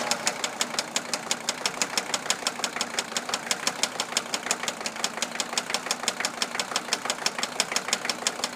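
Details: 1982 Mercedes-Benz 300SD turbo diesel: sharp regular metallic knock about three per second over rough idle, sounds like a rod but seems to come from fuel distributor; vegetable oil system bypassed, still seems fuel starved; cause unknown.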